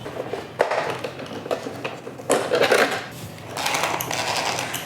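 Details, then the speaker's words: MJX Hyper Go 10208 RC truck, new out of the box, after minutes of indoor driving: harsh gritty grinding rising and falling with each motor run from the rear half of the driveline; not normal stock sound. "But this is not how the drive line sounds out of the box. I can literally feel and hear that there is something going on in the rear half of the truck."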